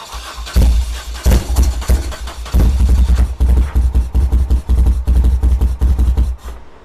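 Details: 1978 BMW R100S airhead twin started on choke after years of storage, on the old plugs, with heavy smoke. Ragged bursts surge and sag as it runs on one cylinder. The left Mikuni TM38 carb's fuel passages were later suspected to be blocked by gummy old fuel.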